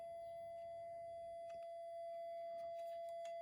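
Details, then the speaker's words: Minelab GPX 5000 with loss of depth: steady high hum with faint clicks, pitch wavering as the mylar strip is wiggled, probe on the AD797 output, pin six; cracked mylar strip suspected of killing sensitivity. "I'll give it a bit of a wiggle it changed tune again"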